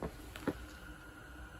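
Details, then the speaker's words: Renault Zoe ZE40 electric motor, 116k, after rebuild with new bearings and end cap refitted, spun freely on the bench without sensor or brushes: soft knocks then quiet smooth whir; rubber-shielded high-speed bearing faintly audible, much quieter than before. "so there we go sounds pretty good you can just about hear the bearing you can hear that one that's the um rubber shielded highs speeded one at that end but yeah obviously a lot quieter than it used to be"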